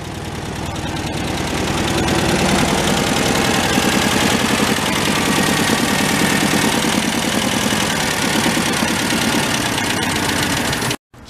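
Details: Homebuilt tractor with 1967 VW air-cooled engine leaking lots of oil underneath: steady idle with uneven, slightly lumpy beat about three per second; owner judges rear main seal/bearing; rear main bearing play.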